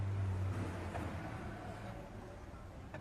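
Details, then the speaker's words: Hyundai Veloster electric power steering, engine idling: dull clunks from the steering column when turning the wheel either way; play from a worn plastic/rubber coupling between the electric motor and column, replaceable part. "gira direção que pessoal barulho que faz o lado e para o outro ele vai fazer esse barulho dois lados é uma folga que está tendo na coluna de direção é uma peça de plástico que é trocada"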